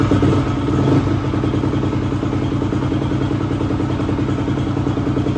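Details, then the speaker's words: 2004 250R dirt bike, previously non-running: rough, busy idle with a light irregular clanking riding over the engine beat; the source can't be pinpointed, and the owner says it isn't from the motor, which sounds healthy. "Well, as you guys seen, I got the bike running and I mean, sounds pretty good. It's got a weird little clanking noise. It's not coming from the motor."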